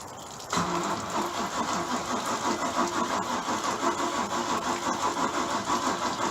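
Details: Bayliner boat engine, old battery sat about a month in the cold and run off a jump box: starter drags it slowly, uneven sagging about three pulses a second, no catch; weak battery and starter going out, later started with added fuel.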